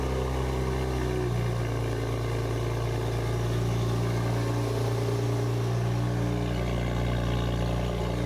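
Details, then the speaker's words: 2023 Nissan Z (RZ34) just fitted with Pride Auto high-flow-cat full downpipes: cold start with deep, even, loud idle and no misses; noticeably louder than before. "All right, so we are going to get a proper cold start. Oh, it's definitely louder."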